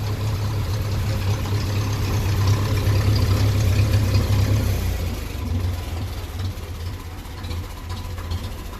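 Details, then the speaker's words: 1957 Ferguson 35 TVO tractor running on petrol until hot, still blowing a bit at the back; low uneven chugging with misses and spitting that worsen with revs and running time; weak spark suspected, new coil on order. "you can hear a bit of a missing a duck Island's Earth and straight away so it's taken away from the from the spark you can hear it spitting there"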